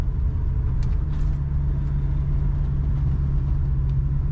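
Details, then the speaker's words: Highway cruise in a 1966 Ford Mustang convertible with a 289 V8 and automatic transmission. A smooth, steady low rumble under road noise; stock-sounding and not overly loud. A normal, healthy exhaust. "I would say a very stock sounding Mustang. It's not overly loud. You do hear that rumble if you're behind"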